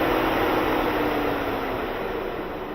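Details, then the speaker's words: 2011 Ford Edge 3.5 with code P0480, after radiator cooling fan assembly replacement: strong steady rush of air from both fans, keeps running without cutting out as it did before within a second or two; fans working. "are they both running yes they are both running let's kick her up remember before it would shut off right away within a second or two that's all it'll let us do that's that's plenty plenty air coming out"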